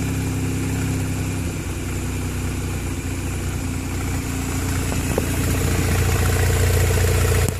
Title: Turbo rx8 rough idle